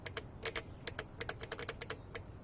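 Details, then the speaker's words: Kohler Command horizontal twin on a Miller Bobcat welder with crank-but-no-start: cleaned fuel shutoff solenoid, previously stuck by residue, bench-powered from battery gives sharp, crisp clicks each time power is touched, pulling in and releasing cleanly. Working normally. "that's what it's supposed to be doing so it's working good"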